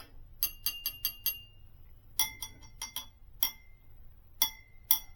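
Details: Model T engine rebuild, tap ring test on the clutch drum: each light tap gives a bright, clear ring that holds briefly with no dull buzz; the drum is uncracked and the clutch is judged okay.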